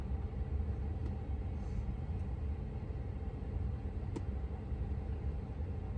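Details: 2022 Tesla Model 3 rear-wheel drive with heat pump, very warm day, defrost on, heard from outside the car: quiet, steady low hum with no rattles, squeals or cycling surges; heat pump running normally.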